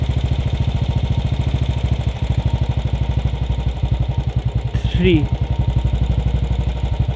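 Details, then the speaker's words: Royal Enfield Bullet 500 Standard, UCE engine with UCD 33 carburettor, mixture screw turned clockwise to leanest setting at raised idle: slow, even single-cylinder thumping that sounds thin and barely hanging on; any leaner and engine shuts down. "so the this is the lightest that this engine can run on now what you have to do is uh if you move any any further the engine will shut down"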